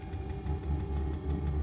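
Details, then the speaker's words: Diesel heater in a shed on a 5-gallon tank, just after priming the fuel line: steady low burner rumble, constant fan hum and faint fuel-pump ticking as warm air comes out; lit and running normally. "It's making noise. And now there is a little flame icon on the screen, which I assume means that it's on fire."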